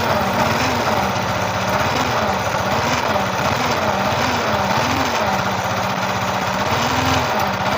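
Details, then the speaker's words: Yamaha R15 V3 idling with growling hum swelling about once a second, sounding like failed crankshaft or camshaft bearing, actually caused by a shorted stator coil. "ஒரு humming noise ஒரு உரு உருன்னு ஒரு உருமுறை noise ஒன்னு வந்துட்டு இருக்கு. அது எதனால வருதுன்னு சொல்லிட்டு நம்ம செக் பண்ணி பாக்கலாம்."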